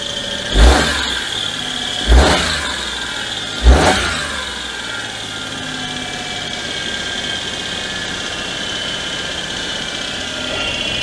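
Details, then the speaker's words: Daewoo Matiz after a service (new HT leads, air filter): three quick throttle blips, then idle with a thin high squeak over the engine; belts already replaced, still noisy; owner suspects the power steering pulley, not confirmed. "i've got a bit of a squeak it might be the power steering pulley but they're um that's an interesting bit of wiring there uh it has had new belts the belts have been replaced and it's still a little bit noisy"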